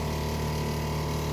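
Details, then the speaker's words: Cheap Chinese water heater in a converted vehicle, previously intermittent spark and no flame, working after disassembly and reassembly, cause unknown: even unbroken hum, no cut-out; flame stays lit continuously, hot water. "vous voyez pas mais si la flamme fonctionne en permanence et j'ai de l'eau chaude voilà"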